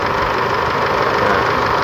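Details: Isuzu D-Max 4JK1 diesel at 80,000 km, after a repair of an engine found oily inside, left running as a test for leaks. Steady, even idle clatter with an airy intake rush. Checked at the intake: no blow-by, no surging; running healthy.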